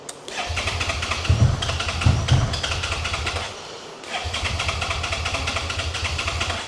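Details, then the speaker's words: 2011 Suzuki SFV650 Gladius on a jump pack with a drained battery: two long bursts of starter cranking with the throttle open and no firing at all. Cranks but won't start; an odd noise is heard, and the owner suspects the tip sensor. "Now, if you start it with the throttle, nothing. Not really picking up the sound from it either, but it was like it's trying to move or something."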